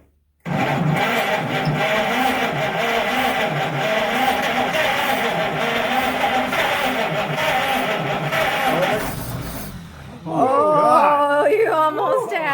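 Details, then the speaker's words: 1930 Chevrolet sitting since 1954, first start attempt: steady starter cranking about four turns a second with an odd cough as it nearly catches, but it never runs; cranks but won't start. "oh man oh man does anybody have any ether by any chance"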